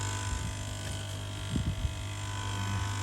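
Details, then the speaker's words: Koi pond air pumps running: constant low electric buzz around a hundred hertz with faint hum above, unchanging; annoyingly loud, audible upstairs at night, owner plans to replace them. "These pumps, they're so noisy. Quite annoying. So yeah, air pumps I'm definitely going to replace. They're just too noisy."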